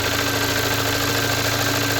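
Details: 2017 VW Golf R (MK7) towed in with the low oil pressure light on: a steady, fast knock under the running engine that worsens with the clutch pressed. Crankshaft thrust washer failure, with a piece of the thrust washer found in the oil pan.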